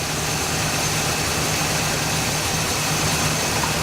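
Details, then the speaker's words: El Camino engine first started after 15 years sitting, on fresh gas with old oil and coolant still unchanged: smooth, unbroken idle with a steady airy hiss over the low drone, no stumbles or knocking; normal idle. "There you have it. After 15 years, with just a little bit of fresh gas, and what I am going to do is change the oil in this thing. I haven't done that. I just want to show you guys that this thing still runs."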